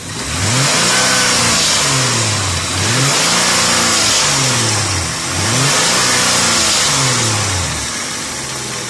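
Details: 2002 Hyundai Coupe (Tiburon) 2.7 V6 revved repeatedly: between 3000 and 4000 rpm a strange noise from the left side of the engine, a rough, noisy edge at higher revs; source unclear.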